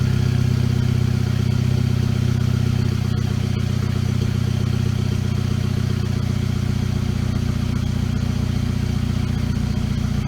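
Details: VW GTI turbo four after forged-internals rebuild, start with new downpipe installed: even, low idle burble holding steady around 750 rpm, no knocks or misses; check engine light on for a valve broken during reassembly; normal idle.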